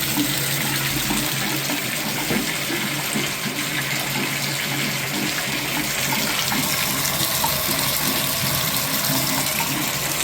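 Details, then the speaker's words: Bathtub drain after cleaning, water running: steady even rush down the drain with no gurgling or glugging, unlike before; the drain now flows freely. "Yeah, it's doing good now, guys. I don't hear that gurgle like I did before."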